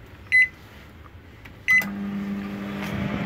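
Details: Panasonic microwave that switched on but didn't heat, after fitting a new magnetron, heating a glass of cold water: two short beeps, then a steady low even hum without buzzing or crackle; normal running.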